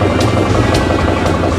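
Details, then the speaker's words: Four-injector diesel just after bleeding the fuel lines and injectors: a firm, even beat under throttle with no misses or stumbles. It runs smoothly with little air left in the system. "it sounds like that it's pretty smooth actually when you had the throttle on"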